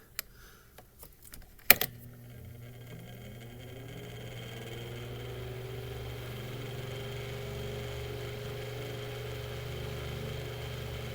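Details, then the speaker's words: Mainstays 9-inch high velocity fan just after lubrication, mic behind the fan, spin-down good; motor spools up to medium with a rising hum, then a smooth even drone with no ticking or scraping; healthy. "it's got a very distinct sound to it too"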